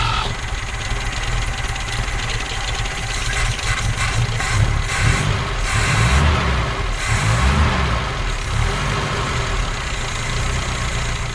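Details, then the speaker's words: BMW 2002 with M10 four-cylinder, revived after sitting since about 2008, old fuel, idle high from stuck throttle linkage, not yet warmed up: low chugging tractor-like idle with gentle rev rises, no knocking; runs fine. "this thing just purrs along sounds like an old tractor engine or something but it sounds good as far as i can tell"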